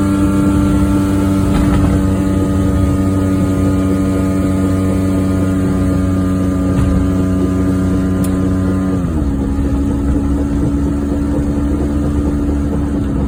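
A steady low drone rides under the engine through the drive, dipping with a shift, typical of a worn wheel bearing humming.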